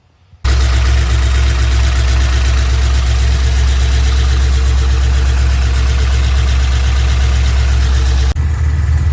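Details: Pontiac G8 after reinstalling the engine with the torque converter replaced, prelubed by cranking with plugs out. It catches quickly and settles into a strong, steady deep idle with no knocks; running good.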